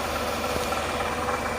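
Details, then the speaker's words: 2005 Toyota Camry (ACV30) at idle: steady, rough growl ('ngorok') under the engine noise, traced with a stethoscope to a worn, possibly loose water pump bearing; the fix is a replacement water pump. "diindikasikan dari water pump water pump dari ada semacam akhirnya gitu Jadi mungkin obla atau gimana Jadi agak menimbulkan suara yang ngorok"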